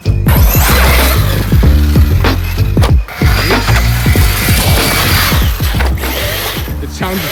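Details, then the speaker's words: New stock Arrma Kraton EXB V6 RC car, stock ESC settings, on its first run and first battery: quick irregular clicks and ratcheting over the drivetrain whine, clicking in the rear and now the front, from a broken differential. "Broken diff on the first run, first battery. You can see it. You can hear it clicking in the back and even in the front now, partially because we drove it."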